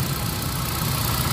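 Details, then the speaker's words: Engine after fixing a fuel problem: check engine cleared, steady even idle with no vibration or stumble, normal idle. "Ayun problema lang is yung fuel. So ayan na sa akin to. Wala na siya vibrate."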